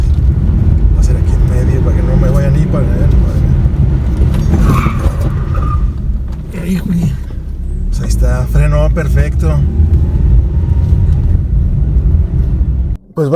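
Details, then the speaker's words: 2013 Chevrolet Aveo on a test drive after rear double wheel bearing replacement, braking and cornering: steady low road rumble with no hum, growl or squeal from the rear hubs; bearings and drum brakes normal. "an físeán seo Mar a chonaic tú, bhí na coscáin go léir go breá, ní raibh"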